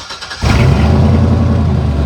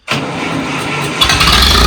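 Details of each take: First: Chevy pickup, manual, just started: catches quickly into a rough, loud, low raspy idle through a crappy, leaky-sounding exhaust with a little white smoke; owner suspects a bad valve seal, not yet fixed. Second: Chevy manual, day after carburetor work, battery had been disconnected: about a second of steady cranking, then the engine catches cleanly and settles into an even run with no stumble; normal start.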